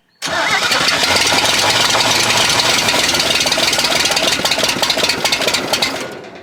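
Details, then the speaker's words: 1970 International Harvester Scout 800A, first start after sitting: fires into a loud ragged roar for a few seconds, then falters and dies; won't stay running, owner blames a rat's-nest wiring harness needing replacement. "She just won't stay running. And after I saw this rat's nest, it became apparent what the problem is. This thing's going to need a brand new wiring harness."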